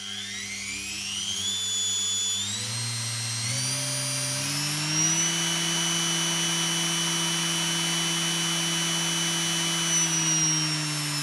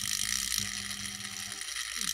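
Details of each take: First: Washing machine motor on a TDA1085C speed controller, wired for a grindstone: whine climbs in steps, holds a steady speed for seconds, then winds down. Brush clicking occurs when rotating against the brush direction. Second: Fast, dense clicking with a bright hiss over low hum from a washing machine motor on a TDA1085c speed controller, set up for a grindstone; brushes click when run against their seating direction.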